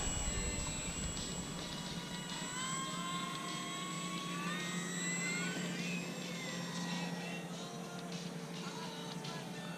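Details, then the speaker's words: E-Flite F4U Corsair 1.2 RC plane, Cobra C-2820/12 970 Kv brushless motor, 4S, RunCam 2 taped on canopy: steady low buzz under motor whine and wind from the tape flapping in the airflow. "What is that noise? Oh, it's the tape. Oh yeah, flapping in the wind."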